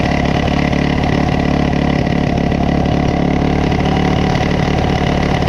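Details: Coleman CT200U-A minibike, restarted after adjustments, hard to start, throttle not binding: small single runs fast and steady at raised idle, even pulse about four per second, high enough that the clutch grabs.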